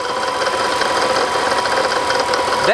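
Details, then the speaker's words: Mercedes E55 AMG after a new water pump, fixed supercharger pulley and billet pulleys at idle: light even rattle, the normal fixed-pulley idle rattle that goes away once off idle. "is actually normal when you put a fixed pulley on these cars they have a little bit of a rattle and idle it goes away as soon as you get off idle but everyone is pretty much said the same thing that that just happens"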